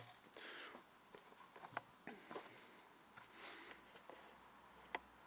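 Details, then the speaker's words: Honda Civic FN2 Type R clutch pedal assembly clamped in a vice, pedal worked by hand: faint, scattered short high squeaks; missing nylon/PTFE pivot bushing lets metal rub and the pedal wobble; fix is a new nylon bushing. "see if i can make it squeak i don't know what the best way to clamp that is all right listen to that that did it"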